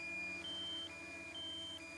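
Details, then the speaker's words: DJI Mini 2 controller critical low battery alarm before forced landing at current location (landed itself at 4%, no return-to-home): steady two-tone high beep alternating about every half second. "So now you can see low battery landing, critically low battery aircraft landing and current location after countdown continue."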